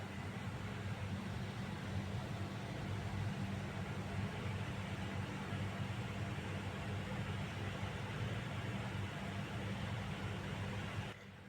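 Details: Package unit AC indoor side after fixing a noise, with the outdoor side already running smooth: a steady, even blower rush with a low hum and no knocking, rubbing or squeal; normal running.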